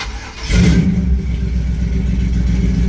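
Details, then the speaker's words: Chevy K5 Blazer, carbureted, fresh from the shop with transmission installed, first cold start after three pedal pumps: brief crank, catches instantly, flares and settles into a steady deep idle; healthy. "Start right up, man. That's like a brand new car."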